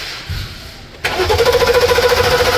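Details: Mercedes-Benz S550 towed in: quick even cranking about a dozen pulses a second without firing; spark good, no fuel, pump power and ground tested good, failed fuel pump replaced.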